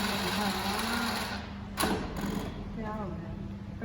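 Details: Scooter that will not start, cold: steady starter whir spinning the engine with no firing or catch at all; cranks but no start.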